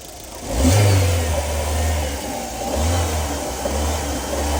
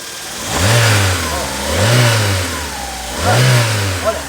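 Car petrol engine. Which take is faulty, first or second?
first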